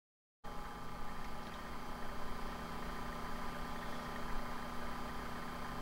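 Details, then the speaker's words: Fuchs Mantis amp with one power tube suspected of sparking, AC power on and tubes warming up: quiet, steady hum with soft fan hiss and faint static, no crackles or pops; static but no arcing so far. "but I'm going to turn the AC power on this guy let it warm up and we'll turn around see if we get into that kind of arcing and sparking once it gets forum let's give it a second it's warm up"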